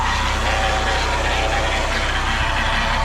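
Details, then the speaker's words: Chevy Cavalier with a transmission fluid leak that went low, running cold: a loud, steady rumble with a coarse, rough edge that seems to come from the back rather than the engine side; owner thinks the transmission is done, not confirmed. "I seriously think the transmission's done in this thing I think transmission is broken all the ah this sucks"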